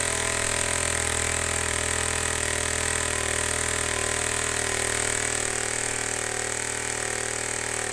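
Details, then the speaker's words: Homemade compressed air engine with a leak, before adding a throttle: steady, even puffing about four beats a second with constant hiss underneath; runs smoothly. "okay so that's just gonna keep running forever"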